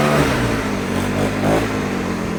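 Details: Troy-Bilt four-stroke backpack blower, started first pull with primer and choke, outdoors: revving steadily with an even exhaust note, no misses or surging; runs great.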